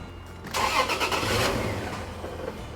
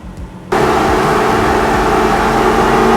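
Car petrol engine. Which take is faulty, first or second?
first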